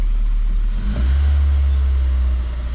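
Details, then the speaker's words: 2001 Volvo S40 petrol engine, just started after sitting as a non-runner; deep loud booming rumble swelling with a throttle blip, sounds like a diesel, owner suspects a big hole in the exhaust. "it's it's it sounds like it's got this big of a hole in the exhaust"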